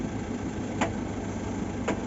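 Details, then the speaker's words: Maruti Eeco petrol idling after new clutch release bearing fitted: steady even idle with clutch pressed fully, no bearing noise; before repair even light clutch press gave a growling noise; only two faint light clicks remain. "पहले हल्का सा भी press कर रहे थे तो गग करके noise आ रहा था देखो अभी बिल्कुल नॉइस बंद हो चुका है ये फुल डबा दूंगा फिर भी देखो य कोई भी जात का नॉइस नहीं आ रहा"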